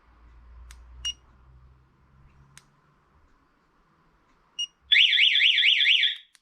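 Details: Spy 5000 two-way alarm being fitted to a BMW motorcycle: a few short chirps, then a loud high warbling siren sweeping up and down for about a second; the alarm goes off instead of arming, cause not yet worked out.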